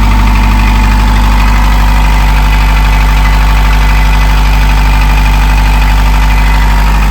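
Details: Narrowboat diesel after in-situ repair, running while air is bled from system: deep even chug about three beats a second holding steady; smooth healthy idle, nothing knocking.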